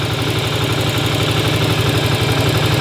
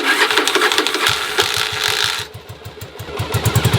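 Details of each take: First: 1981 Yamaha Virago V-twin idling warm after a short ride, running to drain the carbs; even loping thump, no skips, firing on both cylinders and sounding healthy. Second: 1981 Yamaha Virago V-twin, sat in cold storage, cold start on choke; loud starter clatter (normal for Viragos), then lumpy firing surging and sagging, struggling to stay running unless revs held high.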